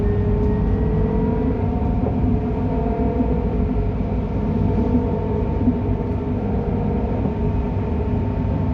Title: Tram 224 M2 heading to Phoenix Park heading to Shipstone Street with a weird noise.